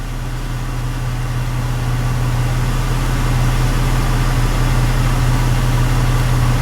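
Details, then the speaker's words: V6 truck idling about seven minutes after a head gasket replacement, with leftover smoke from under the hood burning off. Steady, smooth low hum with no knocks, misses or ticks; a healthy idle. "it's getting better and better the idle seems to be wonderful"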